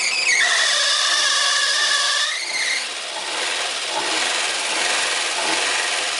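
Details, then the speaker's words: Corsa 2000 first start after engine work, timing reassembled: high squeal sliding down in pitch right after start, then fading into an even hiss as the engine keeps running; source unknown. "haia no primeiro momento ele ficou um barulho e puxa depois ele vai carregando até assumir o barulho completamente"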